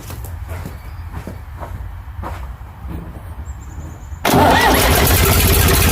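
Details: Ford 555 backhoe diesel after head reinstalled and fuel system bled through filter, injector pump and injectors: several seconds of slow labouring cranking, then catches and settles into a loud, steady, clean idle.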